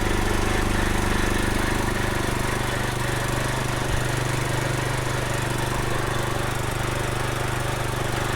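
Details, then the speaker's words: Kohler-engined Troy-Bilt riding mower after a makeshift fix of the mouse-chewed Nikki carburetor fuel shutoff solenoid: steady, even single-cylinder chug at constant speed with no misses or surging. Runs okay, no leaks. "done I didn't see any leaks anywhere seems like it's running okay"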